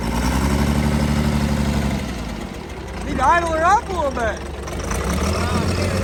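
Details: Cummins diesel burnout truck idling lumpy and uneven, one cylinder dropping out; temps roughly similar.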